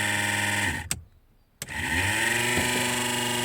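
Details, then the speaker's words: Car heater blower that would not switch on runs with a loud, buzzy whir that cuts out briefly, then spins back up with rising pitch. The fan rubs because its bolt mounting is worn, which nearly wore a hole in the heater radiator. "трішки вона десь голосно працює будемо змащувати там або забирати якийсь листочок або щось попало подивлюся що там сталося"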